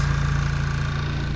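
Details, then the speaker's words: VW MK6 GTI after intake manifold replacement for P2015, first start after fuel line was off: steady petrol idle with a light fast tick on top; cause not yet known, owner wants it checked. "there's some tick going on"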